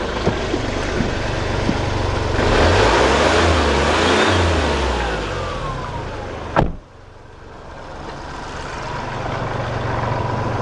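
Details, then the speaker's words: 2011 Kia Rio 1.1 three-cylinder diesel: lumpy, shaky idle with an uneven pulse, surging briefly before dropping back, unresponsive to throttle; stored code P2454 for the DPF pressure sensor circuit; rough running, cause not pinned down. "working at this 2011 1.1 Kia Rio Diesel it sounds a bit rough running and I'll just let you have a listen to it quickly"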